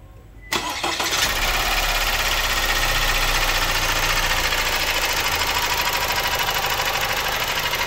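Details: Opel Insignia A 1.6, 136 hp, 154,000 km, heard from about a metre away: engine cranks and catches, then a fast even rattling tick, about three a second, rides over the idle; worn timing chain slapping, timing chain replacement due.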